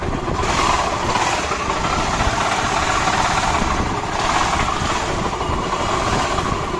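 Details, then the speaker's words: Honda Activa scooter at idle: loud, rough, rumbling rattle under the engine note; engine opened and crankshaft bearing found completely broken, causing the noise. "ये है इसकी crank. ठीक है? इसका crank का आवाज की वजह ये बैरिंग है। ये देख सकते हैं। ये इसका बैरिंग सारा टूटा हुआ है।"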